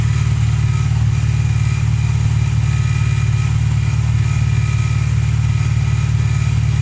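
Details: VW Polo Playa after fixing no-spark from snapped distributor plug wires with a new wiring loom, following a clutch change: steady, even low idle with smooth regular beat, no misses or knocks; running healthy.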